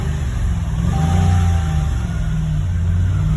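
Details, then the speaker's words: 2013 Dodge Ram 1500 5.7 Hemi with misfire on cylinders 6, 7, 8 and cold start timing performance code: rough, stumbling V8 idle that won't hold without throttle; lifters suspected, not confirmed, engine to be overhauled. "I can't keep it running unless I give a lot of guess a little bit of guess so um lifters on these engines are notorious for failure right"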